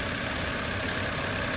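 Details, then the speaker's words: 2010 BMW 328i xDrive inline-six idling steadily and smoothly after misfire and shaking at idle fixed by cleaning ignition coils; all six firing cleanly. "my car is running really really good right now because of that simple fix"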